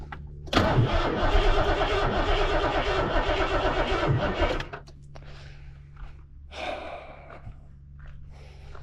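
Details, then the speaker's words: Ford Foxbody 5.0 302 with heavy oil sludge and 1987 plug wires, after priming: fires, runs lumpy and uneven about four seconds, then dies; owner suspects timing off and possibly a bad fusible link cutting spark. "kind of sounds like the timing's off a little bit doesn't it"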